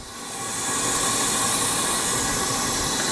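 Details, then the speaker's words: Leak-down test on a supposedly rebuilt engine that sat 10 years, with 90 psi in and 70 psi held (cylinder 2 at 72%): a steady, unbroken hiss of air escaping past the piston rings. "I hear it leaking past the Rings and we're at 70 PSI on that one"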